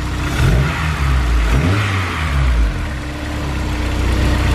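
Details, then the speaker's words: Engine after full top-end rebuild (new valves, valve guides, seats, newer retainers and keepers, cleaned injectors), lifters rechecked: even idle swelling cleanly on quick revs and settling back, no ticking or knocking. Normal idle and rev. "Ran it, checked it, went over the lifters one more time, made sure it's absolutely perfect. No, it idles super smooth."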